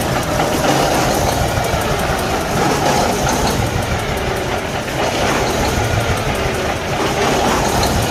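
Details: Cummins ISX15 diesel running rough with an irregular, lumpy misfire, tailpipe smoke and low power, from internal engine damage or a failed cylinder head, which is fixed by replacing the cylinder head.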